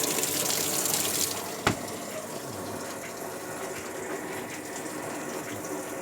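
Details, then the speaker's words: Sharp ES-F69 top-load washer set to 6-minute spin on Normal, won't spin-dry: steady hiss of water rushing in with no drum spin or motor hum; refills instead of spinning, lid switch and drain checked normal, program fault suspected. "น้ำเข้าอีกรอบแล้วก็ปหหมาดไม่ได้นะครับ"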